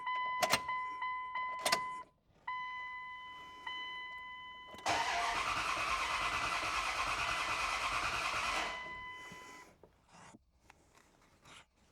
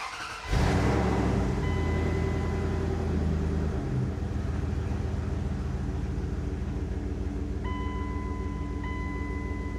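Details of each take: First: Second-gen Dodge Ram with 5.9 Cummins, towed in after dying on the road: short cranking bursts, a few seconds of rough running, then it dies. A bad fuel pump assembly was confirmed. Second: Second-gen Dodge Ram Cummins diesel, towed in with no-start, after replacing the failed in-tank fuel pump assembly: cranks briefly, catches quickly, settles into steady even diesel idle clatter with no stumble.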